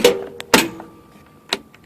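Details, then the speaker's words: John Deere LA150 lawn tractor, about 146 hours, after bad stator fixed and now holding charge: sharp clack then firm clunk and faint steady hum as the blade (PTO) clutch engages cleanly. "i mean the headlights work fine um you can hear the clutch engaging"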